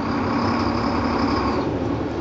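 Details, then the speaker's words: Tractor-trailer in first gear, clutch eased out against the held parking brake during the CDL in-cab air brake check: deep steady diesel drone that bogs slightly as the engine labours, with no knocks or misses. "we'll ease off the clutch until the engine pulls against the parking brake we'll feel the truck want to move and we'll hear the engine labor"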